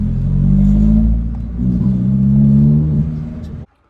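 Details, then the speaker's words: Ford Focus Mk2.5 Zetec S misfiring under acceleration: two revs with a rough, stumbling note that won't rise cleanly; worse after changing all four spark plugs, an ignition lead was found hanging off and apparently snapped inside. "So, the focus is misfiring and I changed all four spark plugs cuz I thought it might have been that and then it got worse"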